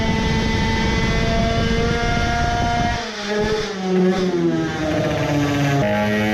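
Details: Moped two-stroke on the dyno with a newly made high-power expansion pipe: high buzz climbs, drops off and stumbles before picking up again, hesitating on acceleration under load; owner thinks it is running lean again, as before when a larger main jet was needed.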